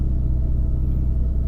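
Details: Jaguar X-Type after a no-start, fixed by reconnecting the air flow meter that had been left unplugged (no fault code, fuel pump was suspected first): deep, even idle rumble with no misses, knocks or hunting; normal idle after repair.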